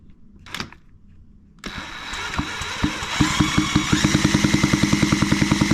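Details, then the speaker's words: JC Penney Pinto moped (Puch E50 engine), freshly reassembled, carb cleaned, no exhaust fitted, pedalled over: steady puffing compression beats, never catches. No start; condenser measured 178 nF, judged bad. "If we look at this, we got 178 nanofarads. And I'm pretty sure that's not enough. So that condenser is bad."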